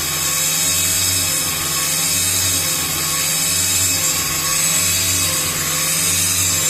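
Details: Toyota Prius Gen 3 engine: steady high-pitched buzz over low even engine hum, unchanging; buzzing source unclear.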